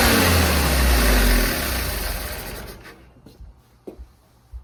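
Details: Willys CJ5 F-head, long stored, new universal carburetor and fresh plugs, wires and distributor: runs fast and loud, never dropping to a slow idle before shutoff. High idle; throttle suspected sticking open.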